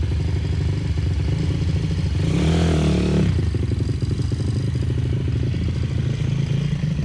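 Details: Brand-new 160 cc pit bike engine being prepped for track use: crisp single-cylinder beat rises cleanly on a brief rev and drops back; buzzy rattle is a missing cover vibrating; normal revving.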